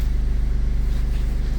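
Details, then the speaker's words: BMW 2 Series F45 that would not start or ran seconds then shut off; engine control unit water-damaged, possibly via connector. After repair, fuel pump silent at ignition, engine starts and idles evenly, low steady rumble, no stumbles or cutting out. "Okay, moment of truth. Car is working. Voila. So, problem was there. Oh la la."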